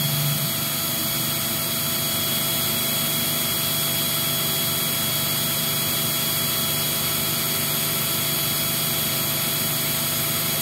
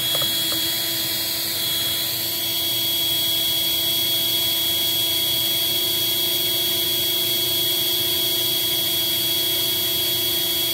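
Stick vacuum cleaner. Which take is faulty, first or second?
second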